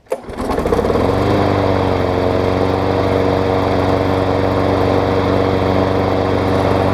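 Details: Toro self-propel mower, 6.5 hp Tecumseh, after new 22-inch blade: starts on single pull and settles into steady even buzz, no misses or surging.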